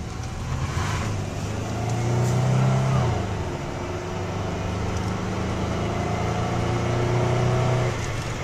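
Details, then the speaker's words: 1997 Dodge Intrepid six-cylinder with 191,000 miles accelerating on a test drive; engine note climbs smoothly through two pulls with steady rising pitch under road noise, no misfire or knock; a little zip, peppy, normal acceleration. "you know what it's got a little zip actually listened for a 497 with 191 thousand miles it's a little bit peppy"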